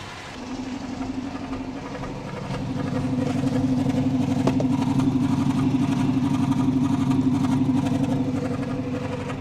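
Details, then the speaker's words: 2006 Dodge Charger RT pursuit, 5.7L HEMI V8, idling with an uneven drum-roll exhaust beat that comes and goes, no throttle response; rough idle, owner suspects a sticking lifter, unconfirmed. "The exhaust note sounds like some kind of drum roll. It does. I feel like it's getting a little better though. I don't know. Maybe not. It might be a sticking lifter."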